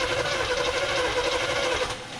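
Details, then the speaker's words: 1978 Chevrolet C30 ramp truck, off road ~7-8 years, −4°F, cranked via custom switch with fuel line disconnected: quick even whirring crank with steady rhythmic chug, no clatter; starter turns engine fine. "all right we got the custom loser switch hooked up let's see if this thing cranks I do not have the fuel line hooked up so I'm not going to pull a bunch of crappy 2014 fuel out of the tank"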